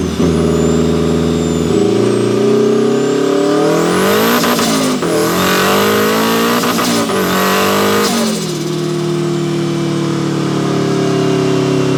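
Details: Turbo Mazda Miata, built 1.6L with a new head gasket, new clutch and flywheel, and a custom unequal-length turbo manifold giving a Subaru-like sound, about 14–15 psi boost. A strong, even note climbs cleanly through the revs with gear changes and no flutter or misses: a normal, healthy turbo engine.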